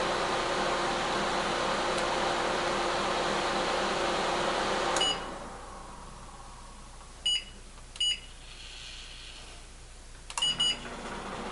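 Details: Older microwave/convection oven on combination cook at 250 degrees, top and bottom elements assumed: steady fan and element hum, then quieter with short control beeps; reaches 188 degrees. Normal combination cook.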